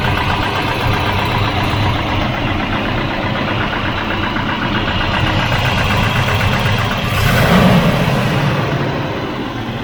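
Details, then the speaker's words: Volvo 244 redblock, previously a no-crank after sitting parked. After ground/earth and wiring checks it idles steady and even with a low, regular beat and no misses or knocks. Idle stated as about 150 rpm; running healthy. "uh it must have been idling there about 150 rpm"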